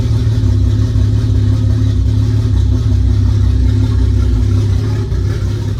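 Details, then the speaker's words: Nissan S14 with new RB25DET head, first startup, downpipe-only exhaust, coolant not yet filled: deep steady six-cylinder burble at an even idle without misses or knocks; normal idle. "yeah before I run it too much I'm going to fill up the water so so the water pumps lubricated and yeah I'm excited I can't believe it started"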